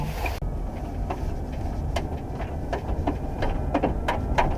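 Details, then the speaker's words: Car on the road, clank rate rising with speed and louder under hard throttle; light uneven clanking about three times a second keeping pace with the wheel; damaged, torn tire tread slapping as the wheel turns. "そう、アクセル強くしたらね、すごいカンカンカンカンってなるんやけど。이거속도랑비례하는거보니까타이어같은데."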